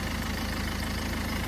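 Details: 2011 Ford Focus turbodiesel after a crank-no-start with no fuel pressure, jelly-like debris found: steady, even diesel clatter at idle with smooth unchanging rumble, no misses or knocks; normal idle.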